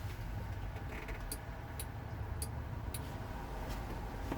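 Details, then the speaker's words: Kubota L4330HSTC tractor: sharp irregular clicks over a steady diesel rumble as a relay cuts in and out when the HST pedal is barely touched, switching HST on momentarily; stalls intermittently, cause unknown. "You can kind of hear almost like a breaker. It's tripping on and off."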